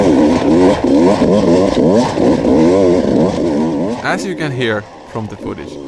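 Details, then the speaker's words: 2019 Beta two-stroke enduro test bike on a Finnish enduro track, held at screaming high revs with wavering pitch under load. It struggled through two laps and failed to climb a hill; the clutch was slipping. "the bike screams all the time. I struggled to get 2 laps done with the bike, and it almost like stalled on that, or not stalled, but didn't climb the hill. Yeah, that's clutch slips in this test model."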